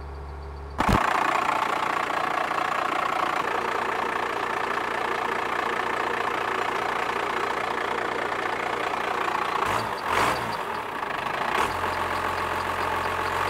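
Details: 1978 Ford F250 body on a 1997 Dodge 3500 12-valve diesel, six-speed (possibly NV4500), electric lift pump, sat for years: catches after a brief crank, settles into steady, slightly rough diesel clatter at idle; normal cold start.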